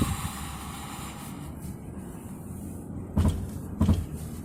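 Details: Jeep Grand Cherokee accelerating hard: two dull heavy thumps about a second apart over engine and road drone, gone once moving; axle, drive shaft, struts, sway bar bushings already replaced; motor mount suspected.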